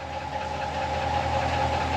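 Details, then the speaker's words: 2017 Ram 1500 4th gen air suspension compressor, suspension fault with scan tool showing zero pressure, bags now inflating; steady droning hum with constant mid-pitched whine, munching and whistling, sounding noisy and tired; cause not confirmed. "I mean the compressor sounds like crap you can hear it munching away and whistling"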